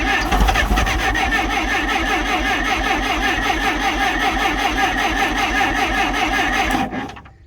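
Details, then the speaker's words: Clark C500Y45 forklift, Waukesha D176G propane engine, weak yellow spark, on starting fluid; steady cranking about two and a half turns a second with ragged catches that never take; a liquid propane line leak then found; cranks but won't start. "boy it wanted to so bad"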